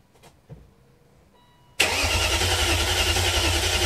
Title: 540i cranking after rebuild (oil pump prime)